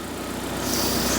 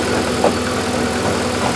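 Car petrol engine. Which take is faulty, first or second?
first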